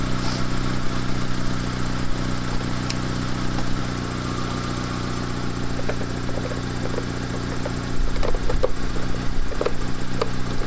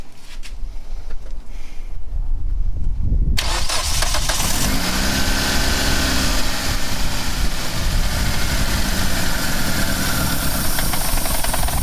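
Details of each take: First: Mitsubishi Lancer CE, battery held its charge: a steady, even idle with no knocks, misses or whine, and the system is charging at 14.5 V. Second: Two-door Mitsubishi Lancer CE right after fitting a replacement fuel rail and injectors: it cranks and catches, then idles lumpy and uneven with a wavering low beat and tends to die. Rough running after injector replacement.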